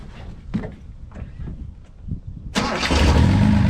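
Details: Finished project car, the 260, said to be running great. A few quiet clicks, then it catches at once and settles into a steady, even idle with no knocks or misses: normal start and idle.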